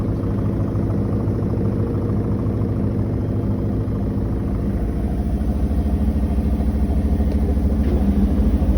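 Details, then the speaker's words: New Koenic KWM 8212 A INV inverter washing machine, empty cleaning run: a steady, even low hum from the spinning drum with no knocking or grinding. A quiet, healthy spin, inaudible across a 50 m² flat; only the lid is noisy. "der Schleudergang ist super leise. Ich habe eine 50 m² Wohnung und habe es nicht gehört, aber der Deckel ist nicht gut."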